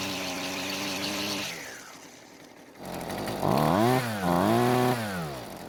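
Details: Husqvarna string trimmer that previously started but wouldn't stay running, carb only slightly adjusted: two-stroke buzz surges and sags, never holding full speed; rough running, cause unconfirmed.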